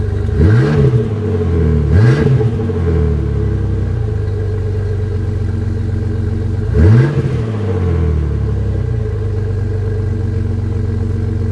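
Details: Jeep with a Flowmaster muffler, deep throaty idle blipped three times; an exhaust leak at the muffler gives a raw, loud note; owner plans to weld it.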